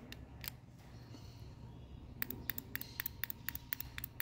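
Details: Car ABS hydraulic unit removed and bench-tested: individual solenoid energised, crisp quick ticks about four a second on a quiet bench; this solenoid snaps cleanly, unlike others found faulty.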